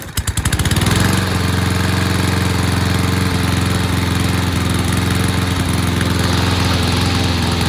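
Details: Toro mower model 20370, after carburetor cleaning, reassembly and fresh gas: pulls over, catches within a second and settles into a steady, even single-cylinder drone with no stumbling; running healthy.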